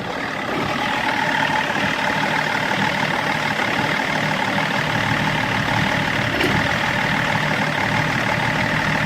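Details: BMW E39 530d diesel, rough idle being checked with INPA values: steady clatter at idle with a faint uneven beat underneath, idle not quite smooth.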